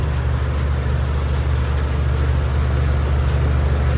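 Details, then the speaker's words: Heat pump outdoor unit in heat mode on a morning in the low 50s °F: heavy steady low drone coming on at full strength with no ramp-up; unit starts at high speed, unlike its usual lower-speed cooling start. "I'm used to looking at this thing in air conditioning mode and it usually starts off at a lot lower speed than that"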